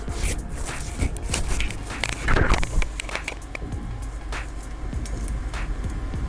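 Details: Server RAID hard drive with physical fault, microphone placed on the drive in data recovery lab: sharp clicks about three times a second over faint low hum; failing drive head clicking, compared with a matching donor drive.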